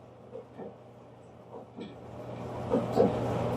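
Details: Gas clothes dryer that was not heating, back in service after a thermal fuse fix. The drum rumbles with a steady hum, then the igniter lights the burner with a soft whoosh and rising roar; ignition is normal.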